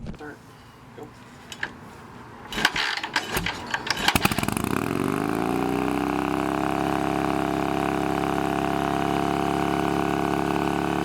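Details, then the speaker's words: Harley Shovelhead chopper on a new S&S-style knockoff carb with a new fuel filter. After rough catches the V-twin climbs to a steady high drone, about 3000 rpm even with the idle screw fully out: high idle. "we got it started up and it runs but the problem is is even with the idle screw completely turned out it's revving up to you know 3000 rpm or something it's you know it's acting like it's at full throttle when it's barely at idle"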